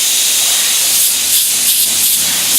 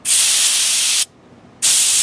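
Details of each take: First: Master Airbrush TC-40T compressor with adapter fitted for a Paasche airbrush, regulator backed off from 60 to 35 psi: steady, even airy hiss with light pulsing about three beats a second; normal smooth airbrush spray. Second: Master Airbrush TC-40T compressor with Paasche airbrush, regulator set at the factory to 60 psi versus the 30–35 psi meant for airbrushing: two sharp, harsh high-pitched hissing bursts of about a second each; excessive air pressure.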